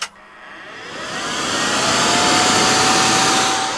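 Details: Vent fan in a converted Fiat Scudo camper van, running on the van's house electrical system; a steady airy whoosh builds over a couple of seconds and holds even with no rattle: normal fan operation.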